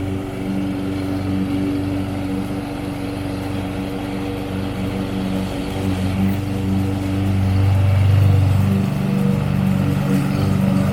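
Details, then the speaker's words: Toro self-propelled lawn mower after replacing the drive belt and blade: steady, even engine drone holding its pitch, swelling slightly under load; running smoothly and healthy. "alright guys as you can see we tested it out and it seems to be running great now so it was a belt"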